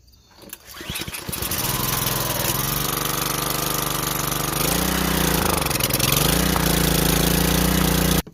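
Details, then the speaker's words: 150cc power washer that sat with bad gas, after carburetor cleaning, water hooked up: one pull and it catches straight away, then settles into a steady, even running note with no misfires or surging; normal start and run. "fired up right on the first coal that's what we needed was the carburetor cleaned out"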